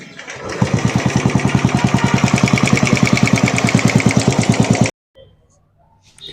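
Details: Royal Enfield Bullet 350 single at idle: fast, even tick-tick about three per second over the thump, from gear lash under the right-hand (RH) cover.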